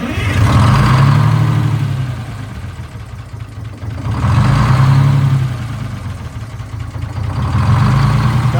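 Idle swells and sags slowly, roughly every four seconds, rising and falling in speed. The diesel is hunting at idle.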